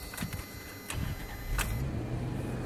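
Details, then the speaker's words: 1994 Toyota 4Runner 3.0 V6 EFI, restarted after fixing a vacuum leak at the PCV valve hose, which had caused a rough start: short crank, fires within a second, fairly steady low idle with less shaking than before. "the idle is a little bit better there's not shaking as much"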